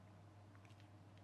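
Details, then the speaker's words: Small electric motor of a toy electric train runs with a low, steady, even buzzing hum after oiling its stiff, dirty bearing (brushes okay); no scraping or squeal; normal running. "we'll put a little bit of oil on the bearing that sounds a lot happier"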